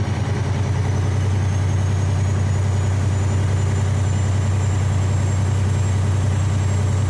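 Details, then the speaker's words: Freightliner Columbia diesel on cruise at raised rpm, compressor charging air steadily with no hiss or leak; air pressure building again as it should. "it's building again like it's supposed to"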